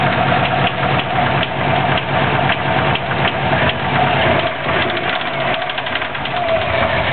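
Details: 2004 Subaru WRX boxer, stage 2 with stock turbo, Enginuity tune at 22 psi boost: a heavy, regular bottom-end knock at idle after doing donuts on pavement; rod knock is suspected, cause not confirmed.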